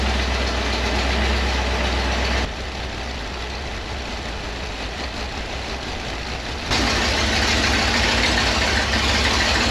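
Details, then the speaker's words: Model A rat rod V8 after a TH400 transmission rebuild and install, just started after cranking dry while fuel came back up. Deep, steady, even idle with one throttle step while warming up; it runs smooth. "Got to let it warm up just a bit."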